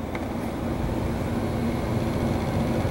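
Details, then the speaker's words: Hybrid propane furnace with heat pump, compressor allowed back on once evaporator inlet air drops below 90°F: low steady hum rising gently as the fan ramps up when Y energizes the heat pump for stage-one heat, no clanks; normal start. "and now you can hear the fan ramping up because the Y energized to the heat pump and to the furnace control board"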